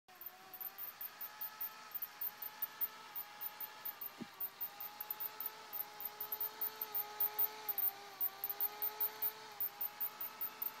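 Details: New Motorola-style Verizon FiOS DVR, cool to the touch in a 64°F room: cooling fan hums with its speed oscillating up and down, plus very high rapid chirps that seem to come from the power supply side; owner asks if this is normal.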